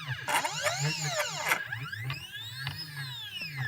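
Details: CNC stepper motors, drivers set to 0.3 Vref with potentiometers at max, whine up and down as axes accelerate and decelerate, with a rough grinding edge under drive.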